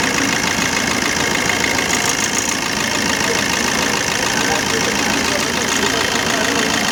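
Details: 2013 Maruti Dzire diesel at idle: regular stumble about three beats a second breaking the clatter; DTC P0201, cylinder 1 injector dead because its wiring to the ECM was cut, no continuity.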